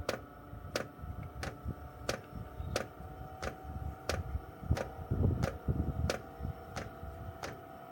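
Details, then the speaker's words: Chinese 12V diesel heater in a caravan being primed by holding two panel buttons: crisp even ticks about every two-thirds of a second; fuel dosing pump priming normally. "There we go, so that's priming. You just hear that noise."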